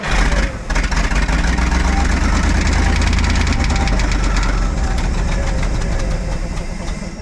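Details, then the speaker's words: 1952 Kenworth Pacific bus with a Ford Super Duty 534 V8, parked since 2003, newly running after adding coolant: a deep, uneven idle rumble with loose, irregular knocking; weird sounds, cause not identified. "the idols hear weird sounds though"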